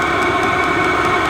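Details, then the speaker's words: Vevor diesel heater on first test run: steady, even roar with smooth hum and no misfire; output air very hot, rising toward 360°. Running on lowest temperature and fan speed with the fuel pump barely ticking. Normal combustion running. "fuel pump is pumping faster and it's really cranking out now okay yeah oh yeah holy crap it's like a turbine"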